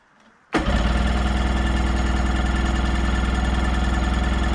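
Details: 1990 Sea-Doo GT, 587cc Rotax two-stroke, non-running unit, tried with choke and starting fluid: steady starter cranking at about four compression pulses a second that never catches or fires; cranks but won't start.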